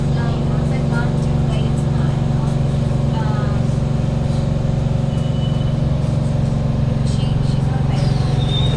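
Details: Kawasaki Heavy Industries C151 train, trainset 067/068, carriage 1068 near door A4/B4 (No. 2 end), between City Hall and Lavender: loud steady drone and hum from the carriage air-conditioning and ventilation, most noticeable when decelerating into stations.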